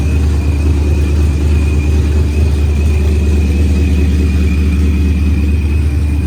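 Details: Procharged Ford Coyote V8 at its first start after a rebuild, with good oil pressure and fuel pressure up. Deep, even warm-up idle with a faint constant blower whine and no knocks or stumbles. Running fine.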